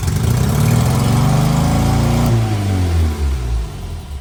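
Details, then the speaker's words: Barn-find Austin-Healey Sprite started on starter fluid via pulled starter cable; engine catches and runs up fast in a rough lumpy rhythm, then sags and stumbles as the fluid burns off. Fuel pump shown working, fuel reaching the carbs. "All right, I actually didn't expect it to run there. So it looks like the fuel pump is working. We have fuel up to the carbs."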